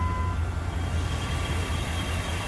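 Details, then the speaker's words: Old truck that used to stall without throttle, after cleaning a clogged throttle body and a dirty IAC motor. Steady low engine drone holding even with no throttle and no hunting or stumbling. Normal idle. "so now i can start the car and it idles on his own without me holding my feet foot on the gas pedal"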